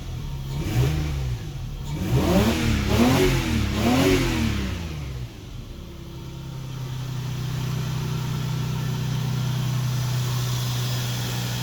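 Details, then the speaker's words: Lexus GS300, 2JZ-GE, after replacing the leaky ECU capacitors: several quick blips rise and fall smoothly, then it settles to a steady low idle. It is healthy and runs better than before. "After fixing the ECU, the car actually ran better than it did a couple of years ago."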